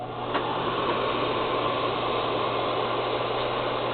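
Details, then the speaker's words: Lopi Pioneer stove combustion blower after fitting a brand-new generic Fasco replacement motor. It spins up to a steady, even hum with no banging or scraping on the housing: normal smooth running. "and as you can see much smoother sound really good operation should last a long time no banging on the scraping on the housing either"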